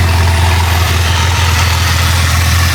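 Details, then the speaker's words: Wrecked Jeep Cherokee engine, once labeled bad, running after the computer ground wires were reconnected: low, steady, even idle, still cold. Smoke comes from oil left after the engine was upside down. It runs smooth with no rattles and good oil pressure. "oh yeah I guess that's all the oil from where I had it upside down everything's good running smooth no rattles"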